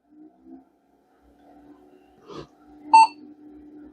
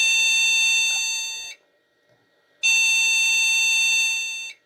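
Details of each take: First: Vintage e-waste PC with ATX power supply, first power-on after unknown years unused: quiet fan hum, then one short clean mid-pitched beep, a normal single POST beep; board passed self-test and booted first try. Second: Vintage PC rescued from e-waste, at power-on: long shrill beeps of about 1.5 s with 1 s gaps, repeating. This sounds like a memory fault beep code, and a memory problem is suspected again.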